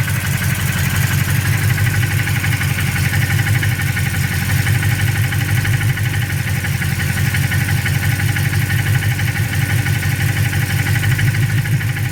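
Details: Freshly built engine at low, even idle with a light, somewhat irregular tapping about three times a second under the rumble; knock of unknown origin.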